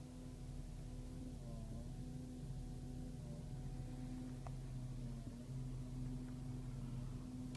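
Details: 2008 BMW X5 E70, noise from the dash only with the blower fan on low, gone when the fan is switched off: a quiet, steady low hum with a slightly wavering tone over cabin hiss. Blower fan noise, cause undiagnosed.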